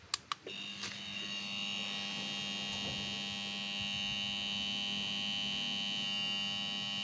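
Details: Sharp two-door refrigerator: a couple of clicks at plug-in, then only a steady low buzzing hum that never starts running. The original compressor is seized, and the compressor was replaced.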